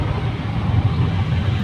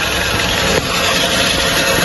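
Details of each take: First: Hyundai Creta after replacing the clutch plate, pressure plate and worn clutch release bearing. Driving at about 60–80 km/h with a steady low road-and-engine rumble. The earlier release-bearing noise is gone, with no whirring, chirping or grinding from the clutch. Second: Hyundai Creta idling with a steady, raspy whirring rattle that appears when the clutch is released: the clutch release bearing, found broken and replaced along with the clutch plate and pressure plate.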